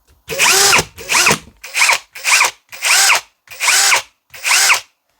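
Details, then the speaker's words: Second cordless drill, on first and second speed: seven quick bursts whirring up and winding down, each stopping cleanly without the chuck-play clatter from fast braking. Normal start and stop, no clatter. "Беремо інший шуруповерт. Перша швидкість. Нема такого ж стуку. Друга швидкість."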